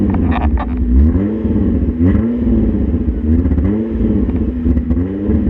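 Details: Hyundai Tiburon that sat a long time, after Seafoam in fuel tank, crankcase oil and intake vacuum line: good at idle but revs climb in uneven, stalling surges with a rough stumbling note; hesitates under load.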